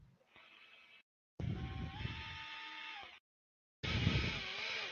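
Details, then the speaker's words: Hobby King 50mm EDF fan unit in an F-16 RC jet, out of the box and unbalanced, run up on throttle. Short run-ups with a coarse, buzzy drone rising in pitch with the fan and heavy vibration. Unbalanced fan. "it's buzzy that noise you hear you don't want to hear it's incredibly buzzy crazy buzzy"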